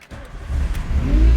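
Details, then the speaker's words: 1988 Volkswagen Scirocco 16-valve with Bosch K-Jetronic, first drive; at startup a faint whine rises over the rumble, attributed to the poorly remanufactured power steering pump, not confirmed. "yeah oh and there's that great remanufactured power steering pump starts up like a champ because 80s yes"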